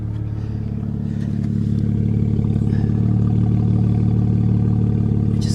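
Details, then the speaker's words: Mazda RX-8 Shinka rotary at Copart idling with a loud, raspy, rattly exhaust drone much harsher than stock; it sounds nearly straight-piped, and the inspector wonders whether the catalytic converters are missing. "straight piped i wonder if we can get under there and take a closer look no it's not is it missing the cats or something surely it's not supposed to sound that way right"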